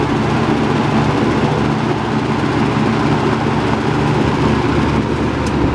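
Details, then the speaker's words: Robeson box fan model 2306, three-speed, 2.4 A motor with surface rust on motor bars, running on high: constant even whoosh of air, good airflow, low steady hum, no rattles or ticking; normal running. "but anyway let's turn it on now it's three speeds and here's high there's a pretty good amount of air"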